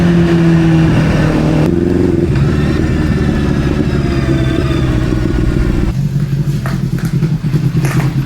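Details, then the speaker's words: Honda CBR600RR rebuilt from wreck, just running: uneven lumpy throb with gaps between pulses, sounding like a twin; a cylinder not firing, owner fears low compression, not confirmed; engine misfire. "Sounds like a two-cylinder. So, we have a cylinder or so that's not working."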